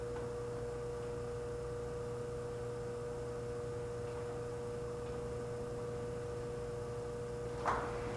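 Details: Antique Frigidaire 5400426 fridge compressor on a test charge with a little oil added, no overload relay fitted: steady, even low hum with a constant tone. Current fell from 3.2 to 2.3 A and the evaporator is cooling, so it runs normally.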